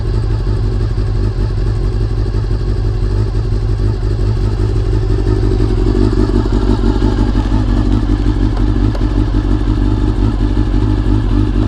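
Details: Honda CBR400RR (NC29) after swapping in a CBR600F fuel pump to cure pump noise: steady, even four-cylinder idle, smooth low hum, no whine or buzz; pump quiet and healthy.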